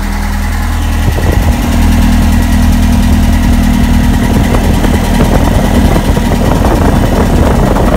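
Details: 1965 International Scout 800 after Thrush muffler install, in neutral: steady deep idle rumble settling slightly, no puffing or ticking from clamp joints; nice idle groan, exhaust tight with no leaks.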